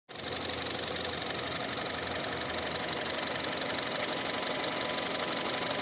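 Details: Engine idling after nearly a year on Pertalite fuel instead of Pertamax. Even idle with a quick, fairly regular tick of about two per second over the engine note; owner unsure whether it is valve noise or knocking.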